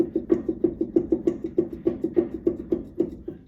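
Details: Quick hollow clunks, about three a second, as a jacked-up trailer wheel is rocked sideways by hand; the owner suspects a bad inner wheel bearing.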